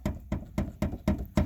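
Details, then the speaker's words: Old Ford (1960s-90s) door shut: six quick hollow clunks from a loose latch knocking on worn striker bushings, instead of a solid closing sound; also rattles over rough roads, fixed with black tape. "something you might be dealing with on your uh on your car is a Radley door doors that rattle when you're going over rough roads that kind of thing doors that rattle when they shut they don't sound like they should when you shut"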